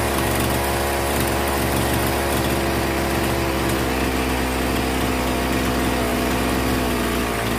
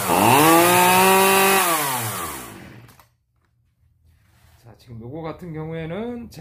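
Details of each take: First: Old Zenoah 3800 chainsaw, carburetor screws reset from overly rich setting for a no-start: small two-stroke buzzing at steady, even speed with no surging or dying; normal running after carburetor adjustment. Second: Zenoah 3800 chainsaw, long unused, started with choke: revs up, sags and dies, restarts with wavering surging note that won't settle; running rich because mixture screws were unscrewed too far, then readjusted.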